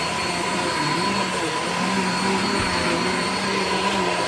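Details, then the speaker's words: Shark Infinity Pet Care upright vacuum: loud roar with a low hum that wavers instead of holding steady, creaky; the old belt is shot and the brush roll stopped many times, so the belt needs replacing. "oh creaky creaky creaky all right so as you could hear the belt on this is like pretty much shot like it's it's really old clearly needs to be replaced brush will stopped many many times"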